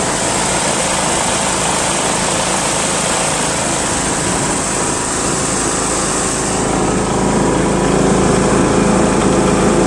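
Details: John Deere L100 lawn tractor, Briggs 1742 engine, driving around the block with mower deck installed: steady even drone holding pitch, no knocks or surging, starts well, spins well without much vibration; normal running.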